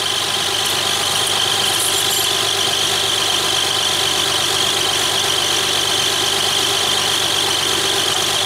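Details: 1994 Lexus ES300 3.0 V6 that won't drive forward, only reverse, running in park at idle during a transmission fluid check: steady idle with a light, high chirp about twice a second somewhere in the engine bay; source not yet found.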